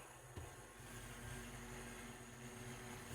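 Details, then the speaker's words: Large refrigerator blower fan motor after repair of its internals; very quiet, smooth steady low hum with no rubbing, rattle or wobble, stops when the switch is released; running fine. "tahimik na tahimik, very smooth. Yan, so binitawan ko yung switch, tigil na rin siya."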